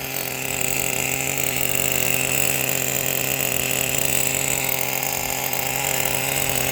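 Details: Brand-new Traxxas Pro 15 nitro engine with new bearings and an OS LC3 glow plug, in an RC10GT on first startup, idle set high: fast, even, high-pitched buzz with no stumbling or surging. Clean, normal idle.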